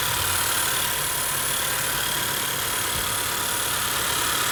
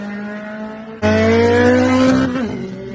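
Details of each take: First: 2013–2017 Honda Accord petrol engine after belt tensioner replacement for whining noise: steady, even idle with a smooth hum and no rising belt whine; normal idle. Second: 2013–2017 Honda Accord idling with a steady whine that climbs in pitch and grows louder when revved, then falls back; whining noise from the belt tensioner, fixed by tensioner replacement.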